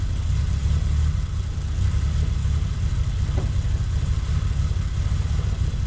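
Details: Toyota Supra after cooling system rebuild (new water pump, thermostat, coolant): steady low rumble with an even beat and no knocks, squeals or stumbles; engine runs smoothly, normal running.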